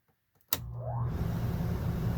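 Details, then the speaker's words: Coleman Mach RV rooftop air conditioner after blower motor replacement with a Fasco D1092 (1/3 HP, 115 V, 1675 rpm), fan only: spins up within a second to a steady, even hum, far faster than the old hard-starting motor. "now here's the after ain't that a lot better to hear how fast that thing fired up compared to the old way or the old motor"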